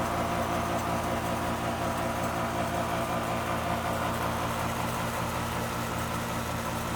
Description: why is my Ac unit making this noise at start up, only 2yrs old